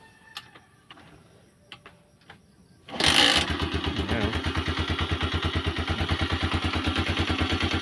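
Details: Carbureted motorcycle on a very cold morning engine, said to be hard to start when cold: a few quiet seconds, then one kick catches immediately and settles to a steady, even idle. Healthy cold start, credited to good carb tune.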